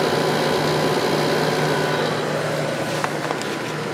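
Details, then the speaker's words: 10,500 BTU air conditioner from 1995, rescued very dirty, cleaned and motor oiled; even steady low hum with no rattles or knocking; compressor very smooth, already getting cold, running normally. "this one sure turned out nice considering how bad it was when I got it compressor is very smooth already getting cold"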